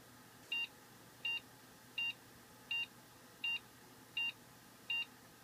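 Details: Dell XPS desktop, Intel i7, about 4 years old, after locking up during a long iRacing race and being forced off with the power button: short high-pitched beeps repeating about every 0.75 s; beep code meaning unknown.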